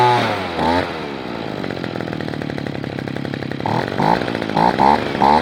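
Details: Echo PB-210e two-stroke leaf blower, 25+ years unmaintained, after spark plug connector repair and cleaning, before carburetor adjustment: fires up, buzzes steadily, revs sharply up and down with clean pickup; normal running.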